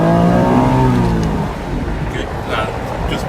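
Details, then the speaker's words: 1992 Acura NSX, pre-purchase inspection road test: full-throttle pull, engine note climbs cleanly to a high-rev shriek near 8,000 rpm without stumbling, then eases off; no hesitation whatsoever. "8,000 no hesitation whatsoever"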